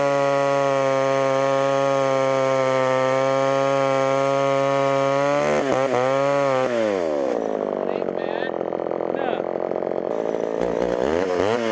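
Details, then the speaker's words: Homelite Super XL chainsaw with 20-inch bar, auction buy, after carb adjustments: steady clean high-pitched two-stroke buzz at full revs, dropping evenly off throttle; runs well, chain needs sharpening. "well that was almost too easy thing runs pretty decent use a little bit more tune in here and there sharpen that chain up and this will be a good spare saw to have around especially with the 20 inch bar on it"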